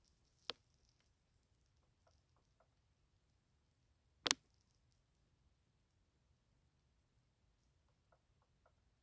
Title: My Switch 2 Dock Making Tapping Noise From Fan